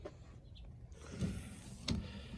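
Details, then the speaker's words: 2014 Honda CR-V after replacing slow, intermittent front wiper motor (part 76505-T0A-A01), ignition on, engine off: quiet motor hum with evenly spaced blade sweeps, no grinding or hesitation, then faster speed; normal wiper operation after repair. "it's working fine. All right, can you do it faster? All right, stop."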